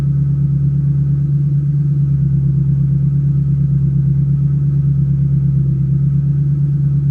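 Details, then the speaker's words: 2005–2010 Mustang GT 3V V8 fitted with an ON3 turbo kit: starts right up and settles into a steady, deep idle with no knocks or misses; a heater vent clicks. Normal idle. "but you can see it starts great. That's my heater vent clicking. See, fires right up. Sounds good."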